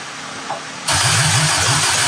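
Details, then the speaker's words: 1972 Toyota Celica with swapped JDM 18RG twin-cam engine, first start, choke pulled, fire from exhaust: uneven, lumpy cartoon-like putt-putt idle with loud exhaust hiss; dead cylinder, suspected stuck-open exhaust valve. "It literally sounds like a cartoon car you know, a br br br like the wacky cartoon character guy would come driving up like"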